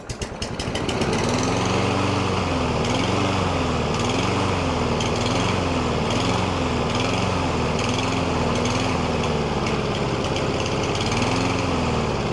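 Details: Single-cylinder lawn mower that had been surging, hunting and stalling, after treatment with STABIL fuel additives: it pulls up to speed and holds a fairly even drone with only a slight governor waver; it now runs well.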